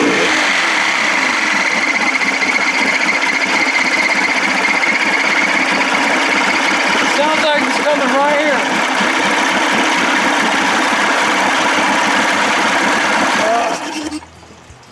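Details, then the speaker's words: Evinrude 55 hp two-stroke outboard running after reassembly and choking, loud, with a fast, slightly uneven scraping rub about four per second, recurring every start; owner suspects something rubbing under the flywheel. "sound like it was coming right around from that area it was like sounded like maybe something was rubbing under the flywheel uh yeah you know something weird going on up there"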